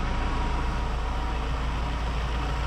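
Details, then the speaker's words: Ford Transit 2.0 EcoBlue after repair of a wet timing belt failure, first run at idle: smooth, even low rumble with no knocks or rattles; normal running. "now I'm relieved because I've heard it run so I'm a happy happy boy"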